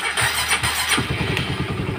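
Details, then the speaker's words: Honda CB150R with a battery that drains fast, charging circuit being checked: a short starter whirr, then the single-cylinder engine fires and picks up a quick even beat right away; a clean, healthy start. "motor menyala dengan baik"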